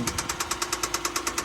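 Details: Rod knock on a 2017 Hyundai Santa Fe with a nearly new engine: sharp, evenly spaced metallic knocks about eight a second over a quiet idle, a failing rod bearing.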